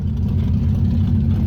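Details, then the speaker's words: V8 Maverick with Holley carb, revived after diagnosis, alternator back up: steady, even lope at idle with a little throttle held, smooth low rumble, no misses or knocks; normal idle, much cleaner than before. "there we go alternator's back up and going and she is idling got a little bit of foot feed here but exponentially cleaner there we go minty"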